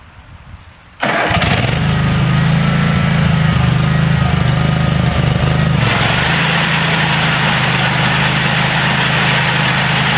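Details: DR all-terrain self-propelled mower with a 17 hp Kawasaki, after a carburetor clean-out (it previously wouldn't run off choke, suspected clogged air bleed), snow thrower attachment fitted, no-choke start: quiet, then it catches first try and settles into a steady, even run; starts clean.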